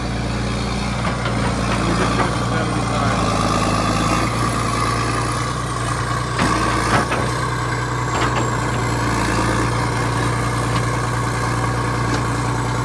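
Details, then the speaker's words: 1980s John Deere 790 excavator, 48,000 lb, all-mechanical diesel, at low idle (not idled up): deep, steady idle with an even diesel beat, no knocks or misses; healthy, a pretty good machine. "it's not even idled up so no no i think it's a pretty good machine"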